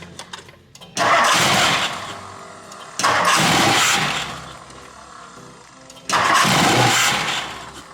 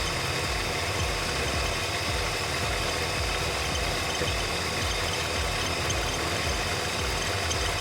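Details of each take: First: 1964 Mercury Montclair, Ford FE 390 with cam and intake kit, first start in 40 years: catches three times, runs rough a second or two, then dies; fuel starvation from a clogged tank and fuel line. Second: 1964 Mercury Montclair, Ford FE 390 with new cam and intake kit, after timing adjustment and with coolant added, running for the first time since the 80s: steady, even V8 lope with deep rumble, no knocks or misses; normal idle.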